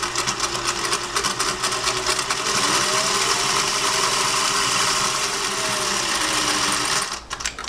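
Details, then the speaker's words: Late-1950s Singer 401A sewing machine, inherited, oiled, worn rubber parts replaced, non-original tension mechanism: even needle chatter about three stitches a second with a soft motor whir, running smooth with no thread cutting. "I mean, she just sounds smooth. No thread cutting, nothing like that."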